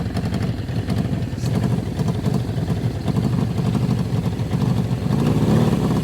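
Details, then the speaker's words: 1981 Suzuki GS650GL inline-four, long-stored, early run on fuel with added two-stroke oil; raspy uneven puffing chuff at each pulse, apparent hole near headers, blowing out rust; exhaust leak suspected, not confirmed. "sounds like we on an exhaust lead somewhere and it looks like it's probably right about here maybe somewhere else"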